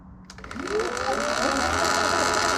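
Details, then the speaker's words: Sur Ron/Luna XX electric bike in EP mode, before adjustment: over the chain clatter, a wavering whine that rises and falls with motor speed. Primary drive belt is far too tight from the factory. "That's exactly what he was talking about. I heard it. You can really hear it screaming."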